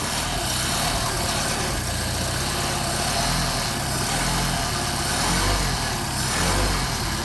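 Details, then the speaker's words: Mercedes 190SL with tested Solex carburetors, cold start at about 57–61°, choke pulled, throttle blipped once, no temperature yet: smooth even idle with soft steady pulse, no misses or knocks; nice cold idle. "all right we already got a nice idle cold so what we're going to do is wait for this thing to warm up"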